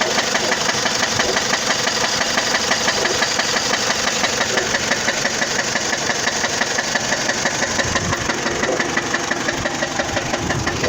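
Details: 2004 Dodge Stratus at idle: loud, regular knock about three times a second; engine knock of undetermined cause, which the owner tries to quiet with additives.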